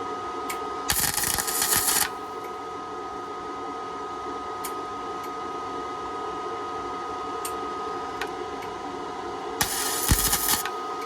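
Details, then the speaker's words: 1967 VW Splitscreen rust repair panel, Hitbox MT2000 flux-core welder with amps and voltage turned down for thin metal: two short bursts of even, crackling frying-bacon sizzle, a correctly set weld. "Sizzling bacon. Absolutely perfect. Absolute perfect."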